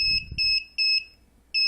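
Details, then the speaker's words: DIY propane leak detector, MQ-5 sensor module with Arduino Nano, sensitivity trimmer being adjusted: loud, shrill beeps in short bursts that start and stop unevenly as the trigger point is set; alarm working. "now as soon as that light comes on it should trigger in the hardware"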